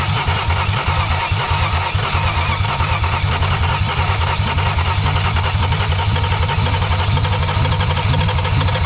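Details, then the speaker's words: 1962 Plymouth Valiant Slant Six with automatic, first running after months of non-starting: runs hard and fast at high revs with an uneven rough edge, throttle wide open, not settling to idle. "the throttle's wide open oh I was like I don't know what we're but okay we run now got it it'll run now"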